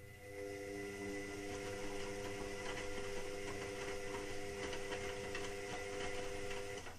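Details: Indesit WIXL143 washing machine: steady motor-like hum with quick irregular clicks, about three a second. It clicks early on, then nothing, and doesn't finish its cycle. Stain removal, Easy iron and door lock lights flash. Fault unknown.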